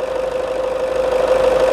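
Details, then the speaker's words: Toyota Hilux diesel after an oil and filter change: even, steady idle with a smooth regular pulse and no knocks, misses or rattles. The engine runs as it should. "olha como é que você botou tá Sereno tá vendo tá redondinho dada o contexto está sendo usado né tá batendo bonitinho ó"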